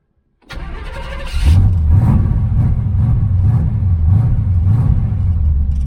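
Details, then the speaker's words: 1981 Chevrolet Camaro Z28 V8, carburetted, after fixing electric fuel pump mounted at rear near tank, filter now full: cranks, catches, settles into fast, slightly hunting idle with steady low rumble; carburetor and distributor still need tweaking. "Okay, I got plenty of gas coming now. Filter's full."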